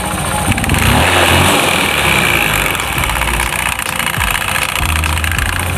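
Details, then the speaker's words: Honda Beat FI scooter, CVT cover off, engine running: loud uneven rattling clatter, worse under load or with a passenger; sounds like worn CVT rollers and roller housing, dirty CVT. "Jadi kalau kita perhatikan ya teman-teman suaranya itu seperti suara roller ya atau rumah roller yang sudah haus"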